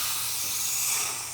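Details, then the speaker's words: Pneumatic ram tool with foot pedal on an RV-8 build, exhausting through a long line and very restrictive muffler: strong airy hiss over a second, tapering slowly as the ram retracts slowly; a quick exhaust valve is planned. "you can hear it very slowly exhausting, and the ram retracts very slowly."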